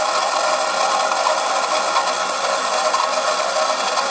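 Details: Model train turntable, believed 1990s and never used, spinning under load with a Delaware and Hudson 2-6-0 Mogul locomotive: constant high whirring with faint rattle; gears sound dry and noisy, cause suspected, not confirmed.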